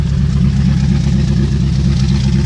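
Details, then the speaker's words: 2001 Jeep Grand Cherokee 4.7 V8, about 219,000 miles, cold start after three months sitting, broken frame, suspected bad valve seals: heavy, deep, rough rumble; loud because the exhaust is hanging loose. "ain't started this thing for three months and just say you know when I got to start it it is loud because the exhaust is hanging"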